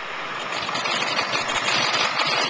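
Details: 2001 Ford 7.3 diesel, earlier a no-start, back running: steady, even diesel clatter at idle with no misses, knocks or hunting; running smoothly.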